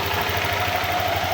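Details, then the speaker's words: Honda Click v2 scooter after water pump gasket leak fix and tune-up with timing set: quick, even idle putter, no ticking or tapping, engine now quiet and coolant no longer leaking; healthy. "Ayan, tahimik na yung makina niya. Hindi na rin tumatagas yung ulan."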